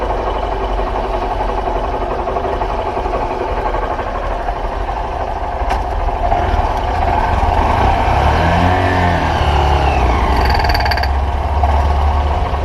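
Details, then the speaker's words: 2013/2014 Honda Fan 125 motorcycle under load from second gear up: busy metal-on-metal clatter growing louder with revs; owner suspects cam chain or tensioner, possibly clutch. "e esse é o barulho o olhar tudo aqui eu vou tirar essa tampa vou ver o tensionador da corrente de comando"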